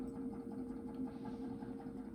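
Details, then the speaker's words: SlantFin Sentinel gas boiler, no-heat call: quiet steady hum as the automatic vent damper opens and the boiler fires just from touching wires at the high temperature aquastat relay; loose connection, defective aquastat relay. "Our automatic vent damper just opened up. Just by me touching wires in the high temperature Aquastat relay."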